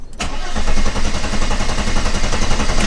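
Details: 1991 Mercedes 300E, about 200k miles, non-running, in park: steady, even cranking about four beats a second for three seconds that never catches; suspected no spark, distributor being investigated.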